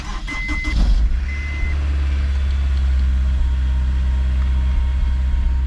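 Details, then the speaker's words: Honda S2000, towed in non-running after a funny noise and check engine light, sat unused, with a Craftworks serpentine belt upgrade: lumpy, stumbling, bubbling idle, random puffs felt at the exhaust, a misfire. "sounds like a stumble here is kind of like a bubble like a worldly sound often if you put your hand here and you feel random puffs as opposed to a solid smooth stream that's what it's doing so we've got a misfire"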